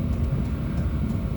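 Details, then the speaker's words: First start-up of a 5 kW Chinese diesel heater with LCD panel, custom-mounted in a 2000 Argo. As it warms, the fan spools up like a jet engine into a deep roar with a whooshing rush, ramping up normally. "oh and she's starting to steep up oh my gosh can you hear it oh she's steeping up like a jet engine"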